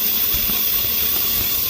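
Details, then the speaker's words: 2005 Chevy Tahoe shaking when driving, check engine light flashing on the highway: steady airy hiss over a faint idle from air sucked through a torn vacuum hose; fixed by replacing the hose. "you can actually hear some air coming out so it has a vacuum leak"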